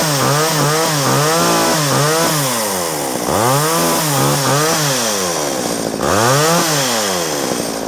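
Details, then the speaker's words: Homelite 240 chainsaw, left sitting with ethanol gas, fresh carb kit and cleaning: revs swing up and down every second or so, never holding steady pitch; carburetor not yet tuned. "It's not tuned yet, but it's running. So I'll have to take a little screwdriver and fill it full of gas and take it in the back and tune it while it runs."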